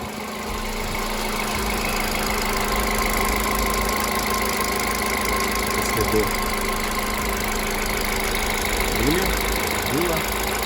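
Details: VW Polo Sedan after garage injector cleaning, engine cooled to about 30 degrees so idle slightly raised; smooth, even idle with a steady hum and no misses or ticking; normal idle.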